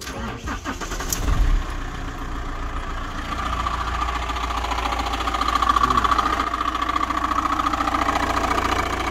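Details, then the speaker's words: Van engine starting to idle after a new belt tensioner, which did not cure the noise: a steady ringing whir rides on top. The crank pulley has play and makes a similar noise when struck, so a worn crank pulley is suspected. "i got the crank pulley off fairly easy and i think i'm pretty sure this is the noise because there's some movement in it and if i hit it it's making that noise which is very similar to the noise the car is making"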